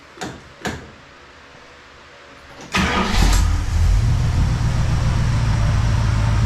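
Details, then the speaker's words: 1969 Plymouth Fury III V8: a few clicks, quick start, then even steady idle; the earlier ping from the harmonic balancer and top-end noise are gone, seemingly fixing itself. "saying the little ping from the harmonic Cal there is gone not hearing anything up top [Applause] anymore it actually sounds good now"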